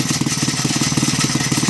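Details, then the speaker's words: Villiers C12A small single, estimated 1960s, at steady idle with choke off: fast, harsh metallic chatter on every firing stroke; owner suspects the flywheel is hitting a loose flywheel guard, not confirmed. "I think the flywheel or the guard for it is hitting the metal guarding. Sounds a bit nasty."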